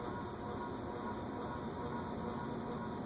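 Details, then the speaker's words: Unknown vintage top-mount ceiling fan on a solid-state speed control buzzes at 0.19 A and hums clearly at 0.32 A; steady electrical hum with buzzy tone shows it is not a solid-state-rated fan. "You can kind of hear it buzzing a little bit. I'm going to turn it another eighth of a turn, which is now drawing 0.32. Now you can really hear it. Yeah, that's usually a good indication that it's not an ideal fan for solid state control."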